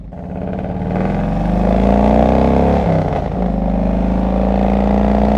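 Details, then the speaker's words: 2001 Harley-Davidson Road King Classic V-twin with loud 39-inch fishtail pipes, pulling away: rough crackly popping exhaust on acceleration; owner suspects it is running lean. "But this thing, I still think this thing is running lean. Y'all are going to hear it when I take off. It's like a It's like a gun show."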